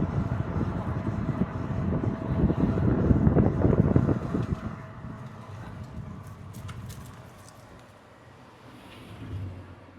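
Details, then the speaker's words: Tesla Model 3 driving after fix: plastic aero wheel covers refitted and secured with cable ties, smooth road rumble with no rattling or clicking from the wheels anymore. "As you see, the car is not making any noise from the wheels now. I fixed the problem with the cover, the plastic cover, what makes the noise."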